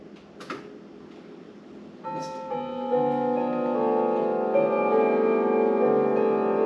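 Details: Sligh grandfather clock being tested after purchase: silence, then clear ringing bell tones layer into a sustained melodic chime after about two seconds; the clock chimes normally.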